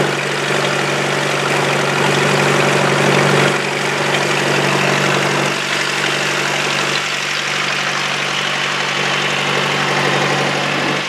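Steady, even engine note with a firm low hum and no knocks or misses; the engine runs smoothly and sounds healthy.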